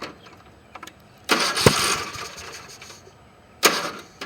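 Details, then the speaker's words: Briggs & Stratton engine with a homemade compression release (1/8 pipe nipple through the cylinder head, chainsaw relief valve), release not engaged: two harsh pull-start bursts stop dead without catching as the engine barely turns against full compression. "all right there now that's it needs a compression relief"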